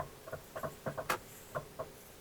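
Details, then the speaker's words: Used Toyota Alphard: irregular bursts of sharp clicks, several per second, when turning sharply, especially left, coming from the left side; barely audible on right turns; worn outer CV joint. "Tapi suara ini terjadi kalau kita belok patah dan belok kiri. Kalau belok kanan enggak terlalu bunyi."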